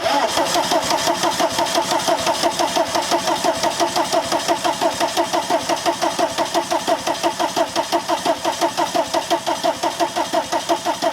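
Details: VW camper van with swapped TDI diesel engine and new harness, wired straight to the battery: steady cranking at about eighty-seven turns a minute throughout, never fires; crank, no start. Cause not confirmed.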